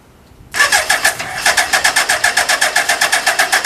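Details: Suzuki GSX1300R Hayabusa, 9,007 km, compression tested, electrics OK, 6th gear shifting good: steady starter churn about four beats per second with only a faint first-fire attempt; no start due to faulty fuel pump.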